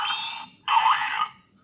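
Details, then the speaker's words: DX Fourze toy belt after repair, tested with a dummy Astro Switch, following replacement of a resistor found burnt. Two crisp, undistorted electronic alarm-like tones about half a second each. The sound circuit now works normally. "dari suaranya dia sudah normal kembali ya permasalahannya itu waktu kemarin itu ada sebuah resistor ya terbakar ya"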